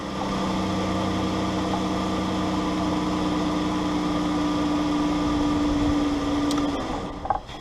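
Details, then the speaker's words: 2012 Dodge Grand Caravan 3.6L on TIPM fuel pump relay bypass: steady, even idle drone with no knocks or misses, then engine shuts off cleanly, confirming bypass turns off; normal idle. "It's working pretty good. That looks good. Everything sounds good."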